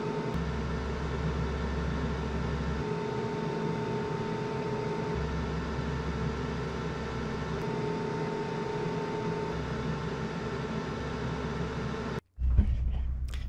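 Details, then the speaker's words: Instrument panel 80mm cooling fans, canopy closed, switching between original OD8025-12HSS and Bgears b-Blaster fan: steady whir alternating deeper heavier hum and lighter hum; both run normally. "so i'm gonna close the canopy and give you a before and after with these fans i'm going to switch back and forth quickly so you can maybe hear the difference"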